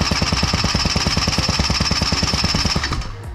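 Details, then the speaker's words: Honda Joker 50 scooter, parked long, won't start; spark confirmed, fuel line watched while cranking; steady fast starter chatter about three beats a second with no firing, little fuel rising; failed fuel pump, to be replaced. "สตาร์ทอย่าแช่นานครับนายมันจะพังครับก็สตาร์ททีละนิดนะครับเห็นไหมครับมาดูน้ำมันขึ้นนิดนึงนะครับเดี๋ยวมาเปลี่ยนปั๊มนะครับ"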